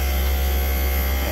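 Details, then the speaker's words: Daikin VRV Rebel rooftop unit in cooling, automatic mode: heavy low drone with rough, uneven buzz as the inverter compressor labours, amps bouncing around; failing inverter compressor. "the amps are bouncing all around too on this system you can hear it something's going on in there for sure"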